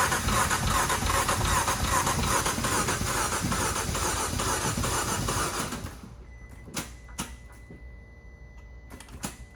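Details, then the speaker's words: 2015 Fiat Abarth turbo, towed in after driving through a large puddle, suspected water ingestion: about six seconds of fast, even cranking on a high-amperage jump box with no firing, then clicks; no start, dead cylinder or water in combustion chamber suspected. "sounds to me like it has a a dead cylinder or something um maybe hopefully it's still some water in the combustion chamber"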